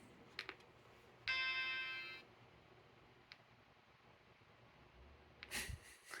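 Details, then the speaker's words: Vintage Macintosh logic board (Portable M5126 or Color Classic) after patch wires installed and a chip removed: one clean startup chime then near silence with faint clicks, no more chime loop and no excessive current draw. "nice no more chime Loop and we're not drawing 7 million amps of current either with this chip removed"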